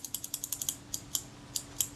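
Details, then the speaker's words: Kodak Retina Reflex IV shutter after cleaning and reassembly of the mechanism plate, with a suspected drag-causing spring addressed: crisp, evenly spaced light clicks, about a dozen in two seconds, blades opening and closing smoothly with no drag. "That action's very smooth, and since there was very little to clean off those shutter blades or indeed off any of the rest of the mechanism, the difference will largely come down to that particular spring and the amount of drag it was causing us."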